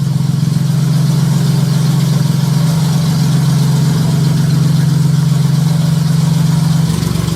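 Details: J35 engine (about 183,000 miles) swapped into a Subaru Baja, warm idle on a cool fall day with a fan running; smooth, even low hum, no knocks or valvetrain noise. Oil pressure about 60 psi, coolant near 150, compression modest, radiator struggling.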